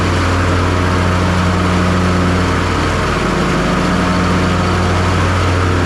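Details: John Deere S240 riding mower after the customer hit something (loud, cutting uneven), tested after deck repair and leveling with bagger tube installed: even, steady engine drone, deck spinning smoothly, no belt squeal or bearing rumble; deck runs right.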